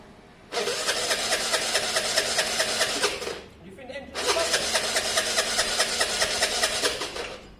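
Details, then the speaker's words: Scooter from a Honda SH125 / Vespa project, on the electric starter, ran poorly last week: two bursts of fast, uneven cranking with a rough, spitting note that never catches; cranks but won't start. Owner suspects it is backing up, a miswired stator, or a plug problem. "i think it's backing up yeah um the other thing is this could be wired up wrong the uh the stator could be wired up wrong"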